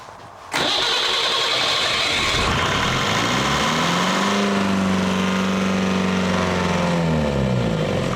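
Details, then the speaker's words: Leyland 154 tractor diesel, cold, restarted after extra preheat, fuel injection pump leaking: starter churns briefly, then the engine catches at once and revs rise and settle; clean start, though it won't idle and oil pressure is good. "but she sounds good. Oil pressure is good."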